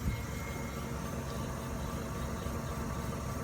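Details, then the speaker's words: 2019 Honda Clarity hybrid on jack stands, opposite side wheel turning: steady, smooth low rumble without the grumble heard on the other side; normal wheel bearing, while the other side's bearing is suspected worn. "I don't see that grumbly sound. So I'm thinking it might be a wheel bearing."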